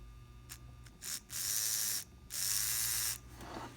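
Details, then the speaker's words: Old N scale Atlas/Rivarossi 2-8-2 Mikado locomotive motor run on low, slightly increased voltage before oiling: high buzzy whirs in short and longer bursts, steady while powered, no grinding; healthy motor with lots of life left. "it's actually a good running motor lots of life left in it I have to increase my voltage a bit it's a little bit more I like to run them with the little voltage as I can but that's got lots of life left in it"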